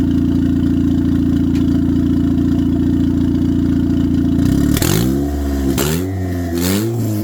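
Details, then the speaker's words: 1996–99 EK Civic (turbocharged) after alternator replacement: smooth, even idle with a few clean throttle blips and no longer breaking down as when the old alternator was draining the battery. Normal idle and revving. "Car sounds beautiful. It's not breaking down like before."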